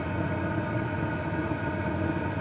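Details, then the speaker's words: PH21A 2 kW 12 V diesel parking air heater during start-up with the glow pin still on: steady low exhaust roar, which is outside the vehicle, with an even burn and no popping or sputter; combustion running normally. "most of the sound that we hear is from the exhaust it's it's uh it gets a little bit noisy but that's outside of the vehicle it's normally very quiet inside the vehicle"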